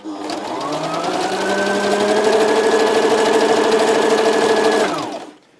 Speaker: все супер ремонт окончен видите строчка отличная идеально ничего не стучит